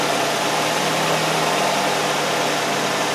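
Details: Nissan Sentra with P0400 EGR code, idling: steady, even idle with smooth low hum, no stumbles or surging; running properly.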